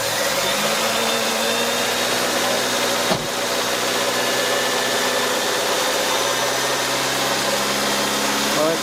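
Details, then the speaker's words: 1993 Honda Civic after replacing faulty ignition coil with aftermarket unit (main relay replaced earlier) for crank-no-start: engine settles into smooth even running, steady hum, no misses, knocks or ticks; spark restored, running healthy. "right guys that's it it's running out"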